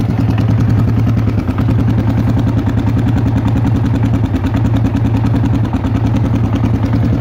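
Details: Yamaha XT/TT 600 E single-cylinder at idle: thumping with an uneven, chattery rhythm over the beat; abnormal engine noise, source unknown.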